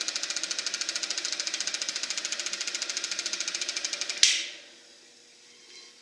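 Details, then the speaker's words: Eberspacher B1 gasoline heater for a VW Beetle, bench test-fired, glow plug hot, battery charger apparently cutting out: fast regular light ticking for about four seconds, then a thump and near silence; never lights, cause unconfirmed. "Well, I'm not hearing a steady flame in there. I think the battery charger just cut out again."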